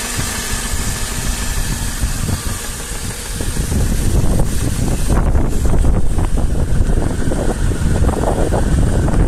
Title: стук мотора m113 запуск на холодную стук, что может быть?